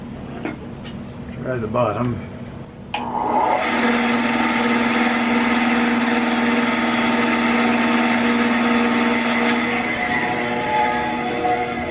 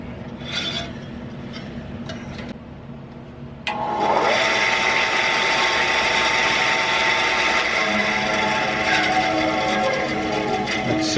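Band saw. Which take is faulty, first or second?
first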